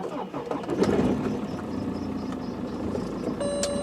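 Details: BMW 320d E91/E90 diesel in cold weather, after fitting new Bosch glow plugs and clearing fault codes: brief crank, catches and settles into steady even idle, no misfire; healthy cold start, though a squeaky drive belt was noted afterward.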